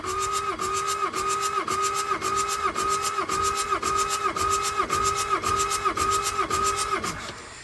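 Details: Bobcat 773 turbo (V2003 turbo diesel), sat about 12 years, cold, glow plugs out, cranking after correcting valve lash on cylinders 3 and 4 (compression now about 450-500 psi): steady starter whine, even compression beats about twice a second; healthy cranking.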